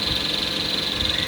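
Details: Roomba robot vacuum with recently installed cheap aftermarket brush rollers: a steady, high, fluttering squeak traced to the rollers. The fix is authentic parts specific to the model.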